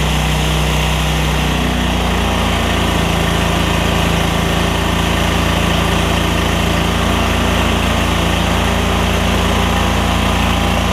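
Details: Lincoln Ranger 8 welder generator, Kohler CH20 V-twin after fuel pump, fuel line replacement and carb clean, air cleaner off: catches within seconds, then a strong steady drone with no surging or misfire; normal running.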